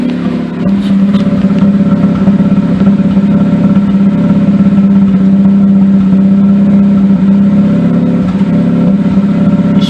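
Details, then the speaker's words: Mazda RX-8, engine almost fully warm after throttle body work, idles rough with occasional popping and a slight misfire; cylinder misfire codes have appeared. Owner hopes new coils, wires and plugs will cure it. "I don't know how well you can hear that engine but it doesn't sound the smoothest there's a little rough smile to it a little popping"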